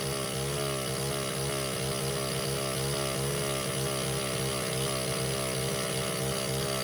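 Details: Baja 49cc mini bike during carburetor troubleshooting: small single buzzes at a steady, unchanging high rev with no drop toward idle; runs wide open even with throttle screw fully backed out. Owner suspects intake air, unconfirmed.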